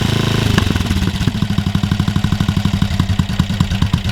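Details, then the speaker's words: BSA 441 Victor single-cylinder with a Mikuni carburetor, running after its pilot circuit was checked and cleaned: a steady, even idle thump about three times a second with no knocks or misfires. "We got another old British bike running, and that is one of the best feelings ever."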